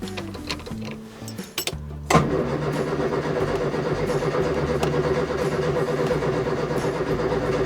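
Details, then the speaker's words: 1970 Morris Minor Traveller with fuel pump good and spark confirmed in all four cylinders: starter churns steadily but never catches; no start. "but I'm not convinced that's that was the problem because it wasn't even it didn't even sound like it was trying to start"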